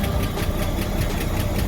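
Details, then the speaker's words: 1993 Ford EB Falcon at 211,000 km on ramps: lumpy, uneven idle with dull low knocks under the engine drone; owner suspects ignition timing is off and the catalytic converter, cause not confirmed; rough idle with knocking. "So got a few things to fix up. I'm going to turn down cuz it doesn't sound like it's timed right."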